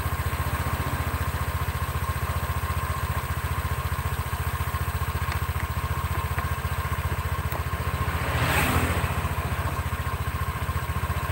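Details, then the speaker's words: Honda Vario scooter CVT after repair: steady, even smooth idle drone with the earlier coarse grinding clatter from the belt drive gone; normal idle. "hope Hai Oke Bro ini suaranya sudah halus ya enggak kedengaran kroyok proyek-proyek gitu"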